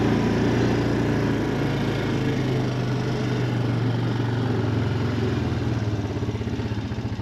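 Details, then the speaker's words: 2007 Honda Foreman 500 ATV after replacing the electric shift motor (it shifted poorly when hot): engine pulls steadily with an even low thrum, no clunks or hesitation through the shift; sounds healthy. "it sounds better. Sounds like it shifts a lot easier."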